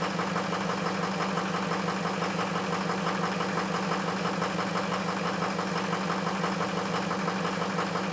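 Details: Ford F350 cold start after a high-30s °F night with 2 bad injectors: rough, uneven clatter pulsing about three times a second at cold idle, sounding like a misfire.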